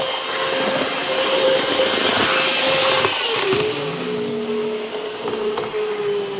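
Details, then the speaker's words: Atlas EMD S9 model locomotive, DCC, non-sound, bought used: thin whine over track noise, absent at slow speed, rising in pitch and loudness as speed increases; motor or gear noise, lubrication issues suspected. "Okay, there it is. When the speed increases, you can really hear that whine."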